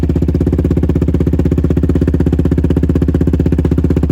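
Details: Yamaha Raptor 700 ATV with Monster aftermarket exhaust, cold start after maintenance: loud deep single-cylinder thump at a fast even cold idle of about twelve pops a second, running cleanly; normal cold idle.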